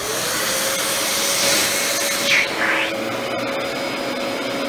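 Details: Mid-2000s Dyson DC14 Animal upright vacuum just cleaned and serviced after its cyclones were caked with dust, switched on with the clutch-driven brush roll spinning; steady, even motor roar with a high airy rush, running healthy.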